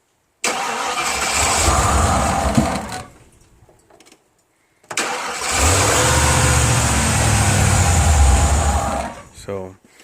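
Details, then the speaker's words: 1992 F150 V8, after timing adjustment, started by the starter relay: catches and runs rough for a couple of seconds, dies, then restarts and stalls again after about four seconds; owner suspects the throttle position sensor. "it dies pretty fast and i'm suspecting that i'm having an issue with the right here the throttle position sensor"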